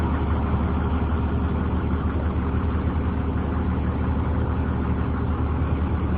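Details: 2003 Blue Bird 26-foot short school bus camper, International diesel engine, automatic transmission, listed 200,000: low steady diesel rumble, even pulses about three per second, no knocks or misses; normal idle.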